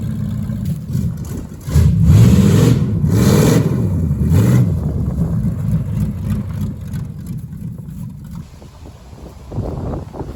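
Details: 1973 Plymouth Barracuda, hopped-up 360 V8, after swapping old Holley for a near-new Edelbrock carburetor: deep rumble picks up cleanly on throttle, drops back to steady idle without stumbling; runs better than before.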